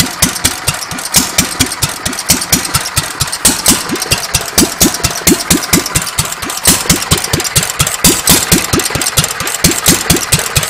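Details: Petter A1 stationary engine after timing setup, running without exhaust: rapid steady single-cylinder beat with crisp open-exhaust pops, no knocks or misses; running quite well.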